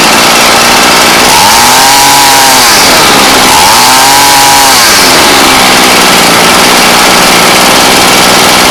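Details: Ryobi weed eater after fuel line replacement, primed and started on half choke with throttle held: sharp two-stroke buzz revs up and drops back twice, then settles to a steady idle; starts and runs cleanly.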